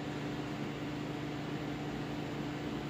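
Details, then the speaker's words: Atari APB arcade cabinet during restoration; cabinet cooling fan at switch-on gives constant loud whirring hum with one steady tone over an airy rush; sounds like a mess, cause not found. "that thing sounds like quite the mess when it turns on very loud"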